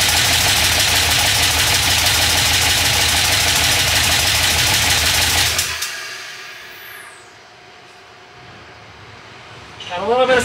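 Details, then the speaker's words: 6.0 LS V8 (2000 Silverado) on a stripped factory harness, first run: loud, harsh metallic clatter from the passenger-side bank that stops at shutdown; the dipstick end caught the windage tray and the crank was striking it. "The end of the dipstick caught the windage tray and then got sucked up underneath. So the crank was coming around and hitting the dipstick."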